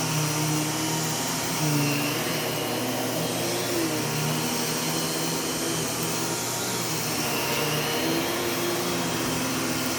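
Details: U1 upright vacuum switched on with its separate power and brush roll switches: steady even motor roar over smooth brush roll hum, no rattles or surging; normal running.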